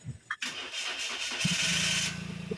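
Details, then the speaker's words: Flood-damaged Toyota Wigo, first start test before full reassembly: fuel pump hiss primes, short crank, then catches on first try and settles to an even idle; starts fine. "O, ayan. One click lang umandar. Itong Toyota Wigo."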